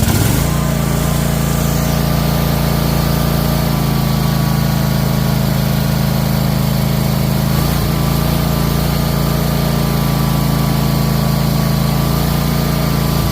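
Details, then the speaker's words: Troy-Bilt Mustang XP zero-turn mower engine stuck on high throttle after starting: fast steady drone that never drops to a slow idle; high idle, cause being investigated. "See, the motor won't go, slower. It'll just stay in rabbit or the choke open. So we're trying to see why it won't go idle down."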